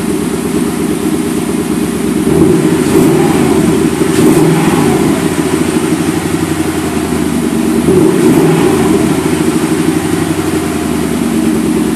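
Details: 2002 Ford Mustang GT V8 just after replacing the timing chains, guides and tensioners, run briefly without the fan and on a weak battery: an uneven, loping idle with dropped beats. Others suggest the cams are off a tooth or 180°.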